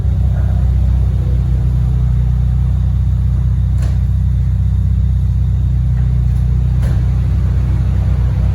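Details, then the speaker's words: Peugeot 406 with a racing exhaust, running after startup with the low fan on: deep, loud, steady exhaust drone with even firing and no knocks or rattles; a healthy engine that is loud because of the racing exhaust. "Ini knalpotnya racing ya, jadi suaranya kencang. Suara knalpot."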